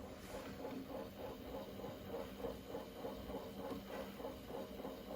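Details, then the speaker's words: Akai GX-R88 auto-reverse cassette deck playing a tape: dry, rhythmic scratching of about three rubs a second from the tape transport, caused by a bad, worn idler tire. "So customer complaint was that when he plays the cassette, he can hear something like scratching or something like that."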